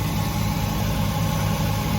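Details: Chrysler Town & Country with a low-voltage code and a 660-CCA battery that failed a load test, after it cranked: steady, smooth idle with no ticking, miss or surging; alternator charging about 14.5-14.7 V; normal idle.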